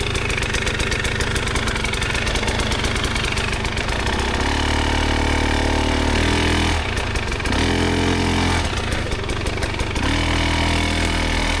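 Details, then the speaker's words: 2024 KTM 300 XCW two-stroke enduro bike with Evans coolant and an added switched radiator fan: steady, even low-burble idle with a hum cutting in and out as the fan cycles on and off, all normal. "I put a fan on, and you can see my fan come on and off, but it's not exactly just blowing the whole time."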